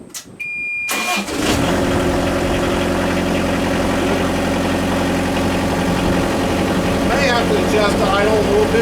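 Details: Kubota KX121 excavator after cleaning and reassembling the flood-damaged fuel system and auto idle motor, fuel tank refitted: starter cranks briefly, then diesel catches and settles into a steady, even idle.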